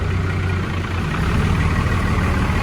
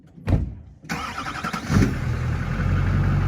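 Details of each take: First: Old 12-valve diesel-swapped truck idling outdoors after a hard cold start in freezing Michigan winter: steady, deep diesel rumble with even clatter, no knocks or misses; normal healthy idle. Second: Old diesel-swapped truck cold-started in freezing Michigan winter: slow, heavy cranking with stumbling bursts before a steady low drone; the cold diesel struggles to fire cleanly; hard starting.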